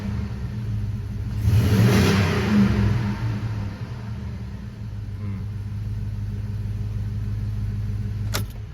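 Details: Chevy 2500HD just after replacing the fuel pump (dealer part, new plug) with the pump primed. The engine fires, revs briefly, then settles into a steady, even idle with no misses or knocks; it runs fine.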